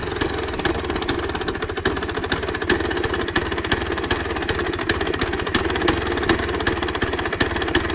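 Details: 1966 Vespa Sprint after rebuild with Pinasco racing crank, Pinasco 177cc aluminium cylinder, 12V CDI ignition: crisp, rapid, even two-stroke popping at steady idle without stumbles; engine idles and revs cleanly.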